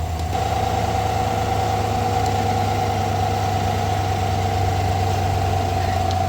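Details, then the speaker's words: 2020-2021 Chevrolet Silverado V8 idling after replacing the idler pulley and serpentine belt, listened through a funnel at the idler bolt: smooth even low hum, the loud whine that rose with revs now gone. "Cannot hear it. Just touch that bolt right there. Cannot hear it at all."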